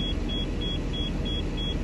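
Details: High sharp beeps about three a second over steady idle of a 2014 Thor Palazzo XCS, Freightliner chassis, Cummins diesel; low-air warning while pressure rebuilds; compressor not clearly heard, airbags not working, owner suspects the parking brake.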